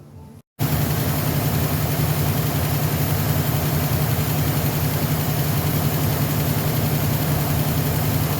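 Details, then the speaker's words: Car engine with distributor rebuilt a month earlier, checked with timing light at idle: deep, slightly uneven low idle that never smooths out; ignition timing far off, needs setting. "way off so here's the nail problem trying to get it timed up right here"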